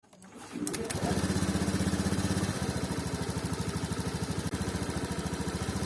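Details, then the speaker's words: 2019 Honda Scoopy single-cylinder injected scooter pulsing at low revs, firing slightly unevenly and hesitating as the throttle opens. This intermittent low-rpm stumble persists after an ECM reset and TP setting; the cause is not confirmed. "terdengar ya suaranya ketika awal gas ada sedikit brebet kadang kala terjadi kadang ndak"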